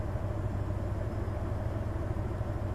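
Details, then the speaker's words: Hyundai Terracan engine at idle during injector cut-out/balance test: switching off injectors one and two in turn induces a misfire with a lumpy, uneven beat and clear rpm drop; scan data had pointed to cylinder six. "so all right injector number one i can feel the misfire i can hear it try again definitely dropping the rpm there on number one injector try number two it's dropping the rpm"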